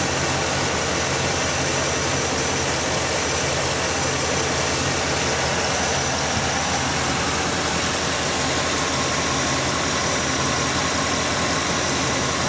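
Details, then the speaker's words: Engine idling right after installing a MAF extension cord: a steady, even, smooth idle at about 600 rpm with no misses, ticks or hunting. A little relearn is expected over 10–12 miles. "Okay, here's your idle, smooth as glass, about 600 RPM."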